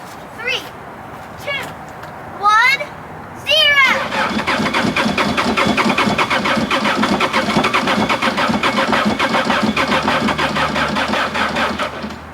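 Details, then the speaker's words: Bobcat 763 skid steer that sat about a year, with water and rust suspected in fuel, after fuel filter change and fresh fuel; starter churns slowly about one beat per second, never catches: slow cranking no start, dead battery suspected. "that was better than any of our other tents that's bad that's bad that sounds like a dead battery"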